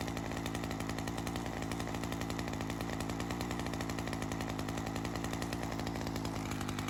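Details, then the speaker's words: Ryobi CS30 two-stroke string trimmer, HiPA aftermarket carburetor weeks after install, slightly readjusted after settling in, ethanol fuel sitting in it: quick, even putter at steady idle, no hunting or misfire; holding up. Normal idle. "Looks like she's holding up. So it's been a while since I've had this on."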